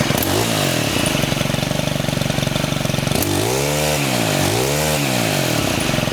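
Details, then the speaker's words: STIHL FS91R string trimmer after clutch repair and reassembly: even buzzing two-stroke idle with two quick throttle blips that drop back cleanly; normal idle. "so now I'm going to start it up and the trimmer head should not spin when it's idling"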